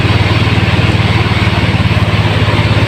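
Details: Fuel-injected motorcycle idling after its injector and throttle body were cleaned and refitted: steady, evenly paced exhaust pulses with no stumbling or misses; the engine runs smooth and healthy.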